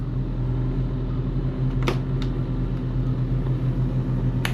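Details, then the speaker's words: Boat's main diesel engines started after an oil check: deep, steady low drone with an even beat and no knocks or misses, likened to the Ghostbusters theme; healthy idle. "all right let's fire up the mains we got a ghost it sounds like the Ghostbusters theme like whenever they're in the firehouse"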